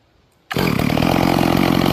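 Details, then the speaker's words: Stihl MS440, rebuilt and carburetor tuned by ear, idle 2,800 rpm and wide open 13,980 rpm: a smooth, even high buzz with no sputter, surging or bogging. Properly tuned. "But it's throwing good chip. And uh yeah, this is uh this is the results of it, y'all. She's tuned up, good to go."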